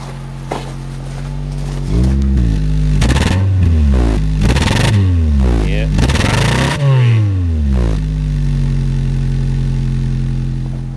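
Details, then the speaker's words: 2007 Honda Fit, 200,000 miles, hesitation at 60 mph, valves likely never adjusted; after replacing one original ignition coil, engine revs unevenly with a stumbling, stuttering note; misfire persists, suspected ignition coil. "not sounding too good yeah stutter stutter stutter stter stter take take it off and try the second one maybe"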